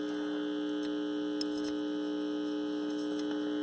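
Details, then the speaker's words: Calrad (Seiko?) seven-tube AM/FM radio under repair, new 12BE6 and BA6 fitted, IF cans being adjusted at 10.7: constant low 60-cycle mains hum at steady pitch through the speaker. "I know this must be so excited to listen to the 60 cycle buzz. So fantastic. Harmonious."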